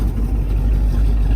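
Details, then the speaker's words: 1958 Pontiac Bonneville Sport Coupe, original survivor, 370ci V8 with factory Tri-Power, running after starting right up: deep, steady low rumble with an even beat and no knocks or misses, sounding smooth and healthy. "I've had other Bonnevilles like that. Car starts right up. Runs really good."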